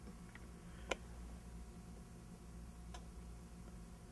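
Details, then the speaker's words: Bugera 333XL amplifier with erratic channel switching, after the faulty front-panel momentary switch was treated with silicone: quiet hum with two sharp clicks as the relay switches over and back cleanly, no longer shorting; switch action now sluggish. "the switch is working it's no longer shorting out but it's really hard to uh not hard but you can hear it switch and you can hear it switch back"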